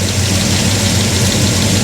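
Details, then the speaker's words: Chevrolet Monte Carlo V8 idling steadily after two quarts added, smooth even burble with no ticks, knocks or misses; gauges show 50 psi oil pressure and 160° temperature; normal healthy idle. "I like how it sounds. >> It sounds way better than it looks."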